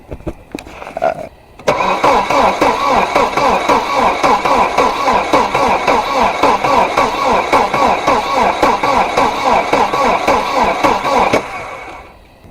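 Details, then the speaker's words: Volvo 740 just after a cylinder head/head gasket install, oil primed with 15W40. Long, even cranking at about four compressions a second with no fire. Crank no start because it is out of fuel. "know what's wrong with it it ain't got no gas in it hello thirsty buddy you want a drink here you go"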